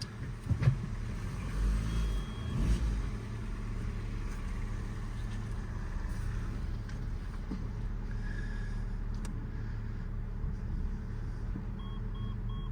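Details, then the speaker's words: Ford Focus Cat N salvage rebuild, after drive shaft replacement: steady low drive hum pulling away in first with no clunks, knocks or whine; gearbox healthy, the fault was the drive shaft. "gearbox is absolutely spot on"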